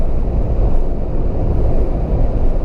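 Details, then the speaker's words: Mahindra Thar petrol automatic at 100 km/h after Mahindra fixed a cabin whistle. Only an even low road and wind rumble is heard with no whistling tone; the repair worked. "and this is i can very well say that i am not able to hear that whistling sound now"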